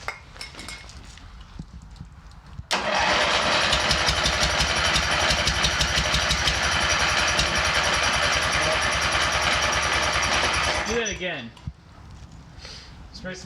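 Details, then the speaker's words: MTD mower engine started on ether before fuel line replacement: fires up and runs loud with an uneven, lumpy beat, sounding like firing on only one cylinder; head gasket then seen leaking on that side. "sounds like it's firing on only one"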